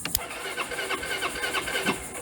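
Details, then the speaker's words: Suzuki Burgman scooter starter motor jumped directly while the 30 A starter relay clicks but won't engage: brief snap of sparking, then a quick, even starter whir spinning freely for a couple of seconds; starter motor itself works. "so that's the motor kicking so i know i got a good motor"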